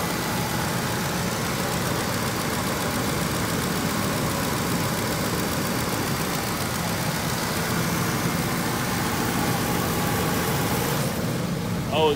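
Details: 2006 Lincoln Navigator 5.4L 3V V8, after an oil change and both VVT solenoids replaced to fix codes P0021/P0022 with rough idle and misfire: smooth, steady idle rumble with no stumble or ticking. Repair appears successful.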